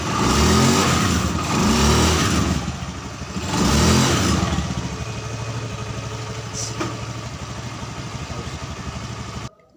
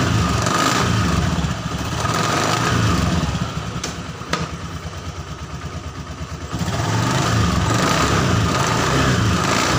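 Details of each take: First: Honda Scoopy FI scooter after CVT repair: revs up in strong, clean pulls, then settles into an even run with no grind or shudder; CVT, previously rough and sluggish at low rpm, is responsive again, normal operation. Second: Honda Scoopy FI scooter, CVT test after fitting a replacement drive belt of the wrong size: rough rattling grind that swells with each rev and eases at idle; rough noise reduced but some remains, clutch next to be checked.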